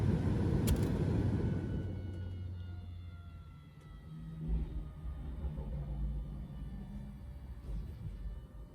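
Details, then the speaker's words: Ignition in accessory, engine off, on a diesel Jeep Grand Cherokee WK2 after both fuel filters were changed: the fuel pump buzzes low and steady while priming, then fades and stops on its own, which is normal priming. "And then things start to kick on. And then you really can hear the fuel pump buzzing away."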